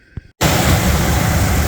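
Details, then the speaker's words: Classic truck V8 idling after cleaning and resealing the exhaust manifold doughnut gasket, which seems to have fixed the smoke, though the gasket may be toast. The idle is a steady, smooth low rumble with no ticking or puffing, running like a sewing machine. "uh yeah this thing's running like a sewing machine"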